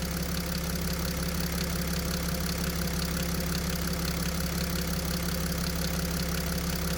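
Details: Mercedes Sprinter OM642 diesel at idle: regular clatter nearly twice a second appears as feed pressure jumps and flow through the high-pressure pump changes to 50 L/h; knock in the injection pump drive.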